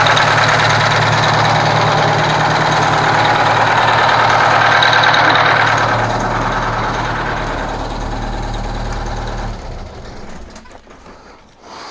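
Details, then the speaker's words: Kenworth cabover diesel after fuel pump and injector work, run with the valve cover off: steady, even idle clatter with no missing beat, then shutdown. The repaired cylinder seemed to pick up once fueled, and all cylinders sound like they fire. "now i want to say i want to say you could hear that cylinder pick up when it right when it got fuel and so i want to say that it's good"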